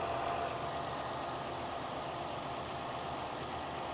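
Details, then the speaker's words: 2012 Ford Escape 3.0L with a no-crank, no-start fault, started by jumping power directly to the starter: an even, settled idle without misses, knocks or squeals. The engine runs normally and is charging at 14.5 V. "okay okay so the engine starts and runs"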